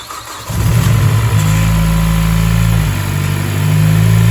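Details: Mazdaspeed Axela BK3P, 2.3L direct-injection turbo L3-VDT engine, engine overhaul: catches quickly and settles into a smooth, steady low idle with no knocks or ticks; sounds healthy.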